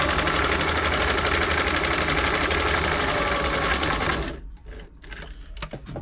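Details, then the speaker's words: Singer 507 sewing machine after feed dog gear replacement and a full service: fast, even stitching chatter, smooth with no knock or grind, and much quieter than before. Normal running. "it's nice and sounds much quieter they got they're not silent machines we only stretch the imagination but it's a lot quieter than it was"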